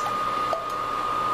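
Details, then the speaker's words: New Little Giant VCM-15UL AC condensation pump, replacing a cracked unit that had leaked, running after filling with water: quiet steady hum with thin constant tone, no rattle or gurgle; normal pump running. "i'll fill that guy up again and we'll double check it and as you can hear is pumping"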